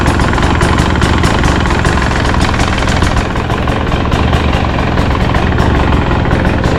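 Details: 2024 Husqvarna 300 TE two-stroke after installing an extension fuel pickup tube in the OEM pump: starts and idles with crisp, steady ring-ding, even pulses, no stumbling; healthy idle.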